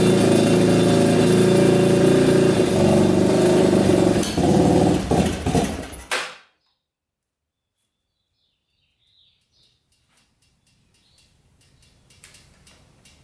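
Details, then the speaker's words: Yamaha Warrior 350 single-cylinder quad after carburetor cleaning, fresh gas and a lowered float: loud revs with a heavy, blubbery, uneven exhaust beat. Still running rich; exhaust pipe blockage suspected, not confirmed. "It's gotta be that pipe. It's still sounding really rich."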